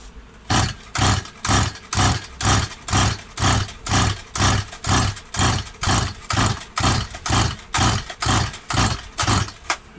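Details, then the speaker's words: Stihl 180 chainsaw after piston and crankshaft seal replacement, carburetor and tank empty, choke closed: pull-cord strokes about twice a second, each with a clear compression pulse, never fires; too much oil in cylinder, started once petrol was sprayed in. "Так, друзі, мало багато масла, мало багато масла в циліндрі не міг завести. Чуть-чуть бризнув бензини, зразу пішла."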